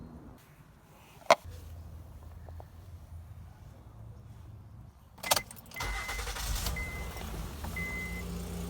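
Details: 2011 Honda Accord 3.5 L V6 after replacing the timing belt tensioner that caused a loud knocking: brief starter whir, the engine catches and settles into a smooth, even idle with no knocking.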